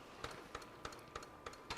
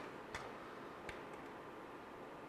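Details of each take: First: JVC MX-G70 compact stereo parts unit, first power-up on bench: sharp mechanical clicks about every 0.3 seconds over quiet hum as cassette mechanism clicks repeatedly, cause unknown; radio starts; cassette mechanism clicking. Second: JVC MX-G70 compact stereo CD changer, skipping past track 12 moves to next disc: two faint crisp ticks about three-quarters of a second apart over soft hiss; normal disc change.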